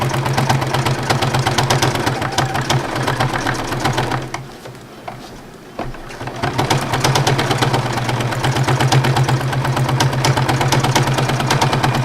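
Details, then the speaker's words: Sewing machine thread painting: quick, even stitching clatter with a steady motor hum that gets quieter where there are fewer fabric layers. Normal running. "Did you notice how much quieter the machine got once I moved into areas where there was less fabric layer?"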